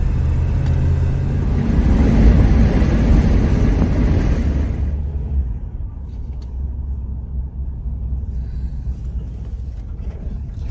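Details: Old Chevy 350 hot start at a store; heavy low rhythmic cranking fades after about five seconds without catching, engine flooded from pumping the pedal too much.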